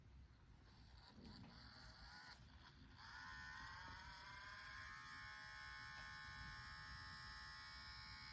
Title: Nintendo switch grinding noise